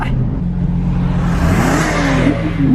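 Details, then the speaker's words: Nissan 350Z accelerating after a faulty coil pack was replaced and a gunked-up MAF sensor dealt with to cure a misfire. Strong smooth pull from low revs, exhaust note rising evenly with no stumble: normal acceleration. "that sounds pretty good what that kind of reminded me of what's up this morning i made a protein shake and that's what it sounded like"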